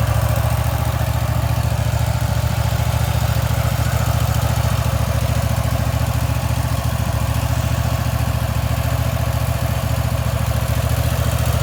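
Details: Wright Stander X stand-on mower, just finished restoration/revival and rewired with a substitute ignition switch, running outdoors: deep, even engine drone with steady low beat, no misses or knocks; normal running.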